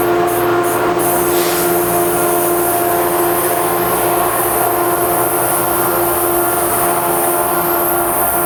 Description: I don't think the EMD 710s usually sound like this, lol. This engine (the first of its kind for NJT) really be sounding like an ALP-45DP vacuum cleaner.